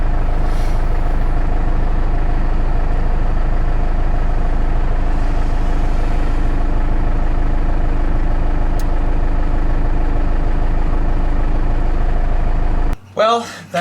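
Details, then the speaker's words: Cummins 4BT diesel, lost power after running waste oil; lift pump fine, piston slightly scored: low lumpy idle about four pulses a second, then cuts out; owner suspects a failing injection pump. "oh she's gonna die [Music] I think high-pressure pump and the injection pumps going out"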